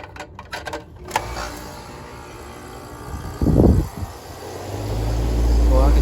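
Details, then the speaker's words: Rooftop HVAC unit after capacitor fault: low hum builds into steady, even compressor drone with no hum-and-trip; pressures returning to normal, capacitor confirmed as the cause; normal compressor running. "pressure's starting to go back to normal yeah definitely that capacitor"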